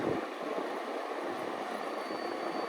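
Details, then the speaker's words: Apartment wall heater fan after cleaning, wiping blades and WD-40 lubrication to fix a noise complaint: steady soft airy whoosh, no rattle, scrape or tick; much quieter, normal fan operation. "let's put it back together and see if it does the same thing or not much quieter"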